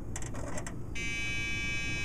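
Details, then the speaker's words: Dell Dimension 2400 at power-on with two 2 GB memory modules installed, likely beyond its RAM limit: a few quick clicks then a steady high electronic beep; board rejecting the memory, RAM error beep code. "it's very clearly unhappy I think it's a ram issue that's exactly what it sounds like to me"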